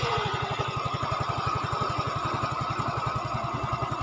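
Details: Yamaha Fino 125cc fuel-injected scooter after camshaft repair, no oil burning, piston and con rod fine: steady idle, soft beat about four per second, no rough mechanical noise. Now smooth.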